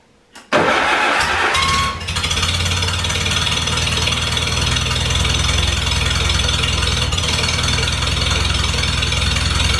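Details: Farmall Super A tractor, cold restart after sitting, following ground and wire repairs that restored spark: catches within a second of cranking, settles to steady even idle, no knocks or misses; normal start.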